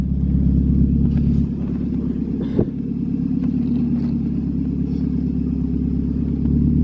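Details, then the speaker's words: 1995 Mazda Miata 1.8L with newly fitted ISR Performance exhaust, camera on rear bumper, small exhaust leak not yet fixed: deep, even burble at raised idle, much quieter at idle; normal exhaust note. "so we have the exhaust on Karson super good at idle like way quieter"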